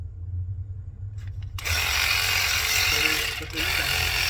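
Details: Matco Infinium MCL1238R 12V 3/8 electric ratchet, over 10 years old, after replacing the sluggish motor with an RS550 motor, on a dead battery: click then steady high whir, smooth, a bit soft; normal running.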